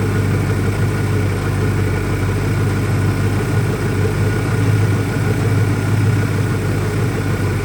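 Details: 2001 Ford Mustang Cobra after new Bosch spark plugs: low idle rumble with slightly uneven, lumpy beat; still rough, cause not pinned down, owner doubts a vacuum leak.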